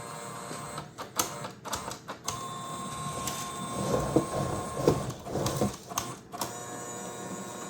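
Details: Creality 3D printer CFS filament system after reboot: short motor whirs and clicks in uneven stop-start pattern, lights flashing between two colors, feeder rotating backward and stopping over and over, never loading; cause unknown.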